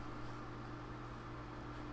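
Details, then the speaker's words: Old PC "Old Blue" running, case open: quiet steady hum with fixed tones over soft airflow hiss; small ~80mm fan audible, owner unsure if CPU fan or small case fan is loudest; to be replaced with 120mm Antec fans. "you know i can definitely hear it so but it could be that this little small one is one that's making the most most noise that's the cpu fan"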